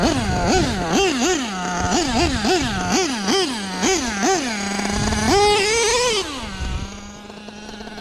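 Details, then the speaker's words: Nitro LST RC truck with a self-rebuilt carb: sharp rev blips dropping back to a thin idle, high revs trailing off raggedly; running super lean at the bottom end; owner plans a new carb. "You can tell she's just running super lean, at least on the bottom end. Definitely loves to wheelie."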